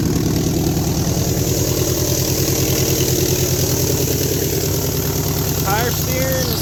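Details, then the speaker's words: 1972 Chevy Nova 307ci V8 first fire-up after sitting 35 years, with sanded points and a carb kit: loud, lumpy idle that skips, with a raspy chuff from many exhaust leaks and ticking. The owner suspects a flat cam lobe or a misfire on one side. "oh it's skipping it got a little skip in there"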